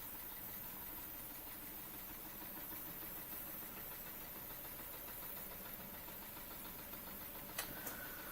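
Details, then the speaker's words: Weeden Model 670 model steam engine, US-made 1930–1940, sight glass damaged so water guessed at about 175–180 ml, heater glowing: soft steady hiss with faint quick even chuffs, very quiet; running normally. "But yeah, it runs, that's the important thing. And I can actually see the heater glowing, so, and you can hear the thing hissing away, so yeah, excellent."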